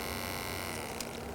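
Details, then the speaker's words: 1963–1972 Mercedes mechanical fuel injection six-cylinder short electric fuel pump, run held close to the microphone; steady, quiet electric hum, even tone, no rattle or surging, little vibration, running smoothly. "nice smooth operation every pump has its own little unique sound to it"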